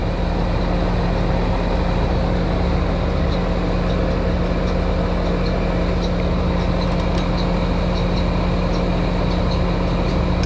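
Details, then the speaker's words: American Standard outdoor condenser running: steady low hum and airy fan roar with faint irregular high ticks, as the worn condenser fan motor bearings are going out; pressures look okay. "fan motors going out you can hear the bearings in that fan motor they do not sound good"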